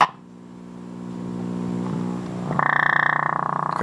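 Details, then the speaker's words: General Electric C-403A radio with a filter capacitor removed, on turning up the volume: quiet hum, then a loud regular put-put about three times a second with a thin squeal; motorboating from a missing filter capacitor. "the volume you get a little squeal you get a lot of motor boating turn your radio on for the first time especially if it's"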